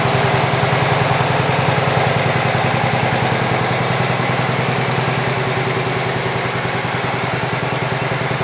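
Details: 1967 112 round fender single-cylinder engine after more work, carb mixture screw set about 1.5 turns out; putters at a steady, even beat, firing regular and smooth, slight smoking noted.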